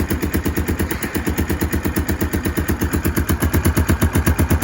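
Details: Kawasaki KLF300 Bayou 4x4 ATV single with the air intake restricted: loud, rapid, uneven chuffing bangs nearly three a second, an intake popping backfire. It idles smoothly but misfires badly coming off idle; the owner suspects timing.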